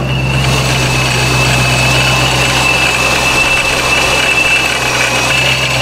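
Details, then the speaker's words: Procharger-supercharged Scat Pack, warm start, idling at home: even, steady idle with constant high supercharger whine, some rock-crusher sound, improves with slight rpm rise; healthy supercharged idle. "so as you can see it still has some of the rock crusher sound but not nearly as much just because that little rpm"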